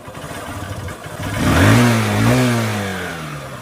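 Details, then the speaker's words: Honda Shine SP single-cylinder: revs unevenly with a stumbling, missing beat as throttle opens, then sags; it holds idle but dies after throttle and only starts with choke. Misfire under throttle, cause not confirmed. "അതുപോലെ കൈ കൊടുക്കുമ്പോൾ ഒരു missing ആയിട്ടാണ് വണ്ടി നീങ്ങുന്നത്"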